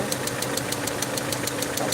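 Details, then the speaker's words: Peugeot 307 2.0i at idle after vacuum leak fix: sharp, even ticking about six or seven per second over a quiet idle from the top end; owner suspects something wrong inside the head and plans to remove the cylinder head. "so the here something is wrong inside the head um what's up so from here I can actually hear it clearly now so um can hear how loud it is so so the cylinder head is coming down"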